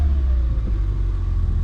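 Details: Light throttle blip on a molten orange 2013 Ford Fiesta ST180 track car with Mountune parts and Milltek resonated exhaust, after refitting the turbo elbow: low, smooth exhaust rumble, no rattles or misses; engine revs cleanly and healthily.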